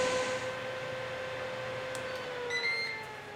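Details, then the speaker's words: Ninja Foodi OL701 lid on air fry at 390°F for 20 minutes: a constant, hairdryer-like whoosh with a steady high whine, louder than earlier models, with no knocking or rattle; the air fryer fan is running normally, just loudly. "It sounds to me like a hairdryer, and it's constant."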